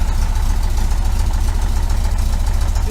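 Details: 1973 VW Super Beetle 1745cc engine on dual Dellorto FRD 34 single-barrel carbs, with an experimental balance tube fitted, warming up before tuning. Deep, lumpy, uneven idle with the engine shaking; the cause of the poor idle is not confirmed.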